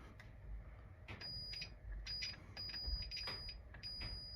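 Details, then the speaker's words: Early Bally solid-state pinball sound board: logic probe on a 4526 chip, pin 12 of U4; a steady high beep among a few handling clicks, so it sees pulses and the chip seems good. "okay so that's making noise so I guess it's good"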